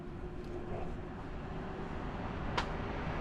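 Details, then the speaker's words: Blower at a house just after a replacement Trane ECM blower motor was installed and the thermostat turned back on: airflow restored, a soft, even rush of air over a faint steady motor hum, no rubbing or clicking; running normally. "And voila, we have air flow again."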